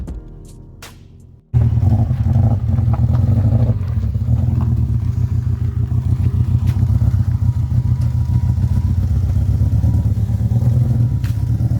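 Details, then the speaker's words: Subaru EJ20 engine in a 2003 Impreza WRX–based Peugeot 206 rally build, untuned, after start-up: lumpy, uneven chug with irregular beats, almost like running on three cylinders; misfire suspected, cause unconfirmed. "I will now play the clip again so you can hear the perjury it almost sounds like it's running on three cylinders let's hope it's a simple fix"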